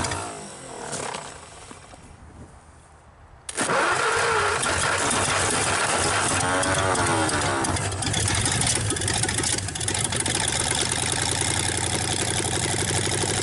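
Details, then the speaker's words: 1954 Ford Y-block 239 V8, first start in 20+ years after possibly flooding; short crank then loud, steady idle with even beat, very little smoke, no knocking or lifter tick despite loud exhaust; normal idle. "nothing wrong with that Indian very little smoke no knocking I don't hear no lifter staff and I know the exhaust is loud but and idle you know if they was ticking that you to be able to hear or I would be in this close to it"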